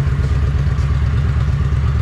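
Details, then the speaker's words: 2005 Kawasaki VN750 V-twin after stator replacement, starting and running at steady fast idle with no misses; earlier no-start traced to pulse generator pickup coils fitted in wrong place, sparking wrong side; now fixed and running normally. "cranked right over so the issue was i put these in the wrong place the little pulse generators or the um coils so it was throwing a spark to the wrong uh side which which is why it wasn't starting over sweet so it works"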